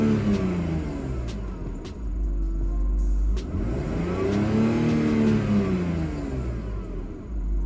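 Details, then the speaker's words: BMW E46 wagon revved after running 20 minutes without going into limp mode; exhaust test pipes burnt through, no muffler; engine climbs smoothly through several blips and settles evenly, no stumble; normal revving. "I'm gonna start it up and Revit it's gonna be no limit mode it's gonna make me look dumb it's gonna make me look no limp mode fine"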